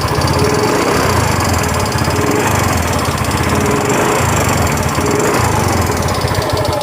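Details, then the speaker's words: Yamaha Mio M3 125 previously run out of oil, now using oil fast, CVT removed: idling with a dull rapid knock at the front of the engine, suspected piston or con-rod; found worn bore, loose piston and liner. "di bagian depan sini ya kayak di bagian pistonnya tapi tidak akan menutup kemungkinan itu di bagian stang piston tapi kayaknya berasa banget di bagian pistonnya"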